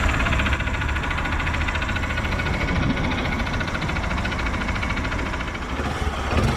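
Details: Honda Bros 150 single after engine rebuild, connecting rod replaced plus top end work, previously noisy without oil loss; steady idle with even regular beat, no rattles or knocks; normal idle.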